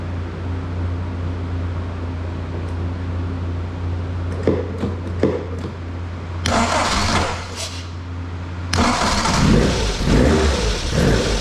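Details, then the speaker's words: Lotus Elan started after replacing leaky cylinder-head-to-block breather tube and adjusting choke and throttle cable free play: low hum, scattered clicks, two tries before it catches and idles roughly but keeps running; starts fine. "Bolt that airbox back on, and I think I will fire it up."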